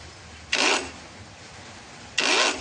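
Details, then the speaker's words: Dopard 21V brushless cordless angle grinder: two short high-pitched spin-ups with a rough, scratchy rasp over the whir; the motor rotor seems shifted out of its seat, so the fan rubs the inner housing; shouldn't be run like this. "ini mau mutar tapi ini suaranya kasar jadi seakan-akan ee dinamonya ini tidak didudukannya ya tidak pada tempatnya atau sedikit geser ya begitu"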